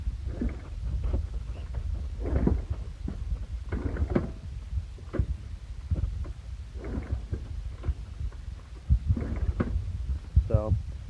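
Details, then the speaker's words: Honda CL70 being kicked over after freeing stuck valves with PB Blaster and WD-40: heavy low thumps about once a second, each pushing against compression, so the valves now seal. "definitely got some compression now so hopefully that's uh that's going to do the trick and get us out of trouble for now"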